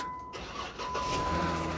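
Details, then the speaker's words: Vandalized Jeep (Call of Duty edition) at a salvage auction, suspected of having something put in the gas tank: quick crank, catches straight away and settles into a smooth, even idle with no knocks or rattles; the engine runs fine. "it runs perfectly fine there is no noises"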